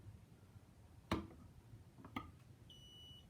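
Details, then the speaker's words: Interconnected ionization smoke alarm on test: two dull knocks, then a thin high beep of about half a second, barely audible; the sounder seems to be slowly dying and likely needs replacing. "it makes a small buzzing sound but like I think this needs to be replaced and it's kind of slowly dying it was just interconnecting but it doesn't really ring much"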